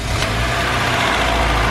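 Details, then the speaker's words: Honda Civic wagon GSR engine idling: faint, constant whirring tone over the engine, isolated by removing the alternator belt to a bad alternator bearing; alternator likely needs replacing. "right that's our noise so that there has a bad bearing in it not the end of the world"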